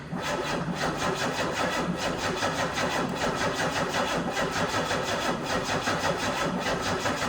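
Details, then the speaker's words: 1990 Pontiac 6000 SE AWD, sat 20+ years, first start attempt: starter spins with even rhythmic compression pulses for several seconds but never catches; cranks no start, later found to have a weak battery. "All right. Will it start? Survey says no."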